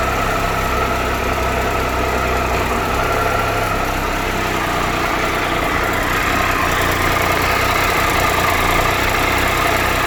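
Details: 2013 Triumph Tiger Explorer with 31,000 km, ticking when cold and warm; steady idle with fast, light metallic ticking, likely top-end valvetrain; owner suspects valves and is taking it for valve adjustment.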